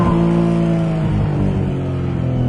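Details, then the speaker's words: Right after start-up the engine hangs at a steady high rev instead of settling to idle on a previously no-start car; gunky, sticking throttle cable, seemed freed up afterward, with smoke noted at start. "now that when i first started it you could hear it was really revving out high rep and it's because the throttle cable is really gunky but it seems like it's freed up now"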